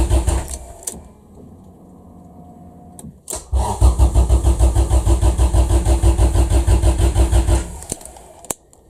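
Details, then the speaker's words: Honda Civic EF after OBD0-to-OBD2 wiring swap: about four seconds of even cranking at roughly seven beats a second, no catch; sounds like it wants to fire, plug wet with fuel, spark suspected present; cranks but won't start. "I think it probably is getting spark because it sounds like it's going to fire up but isn't quite"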